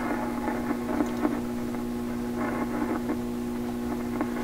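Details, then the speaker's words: 1928 RCA Victor Model 28V radio with tubes heated, switched from restricted to full power, antenna connected: steady low hum under faint crackle with no station received; cause not yet found, shop computer interference suspected. "Pretty definite hum. And we're getting no radio at all. Why is that? Why would that be?"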